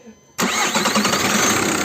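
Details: Seat León II 2.0 TDI after replacing the failed starter motor: quiet, then the diesel catches at once and settles straight into a steady, even idle; normal start.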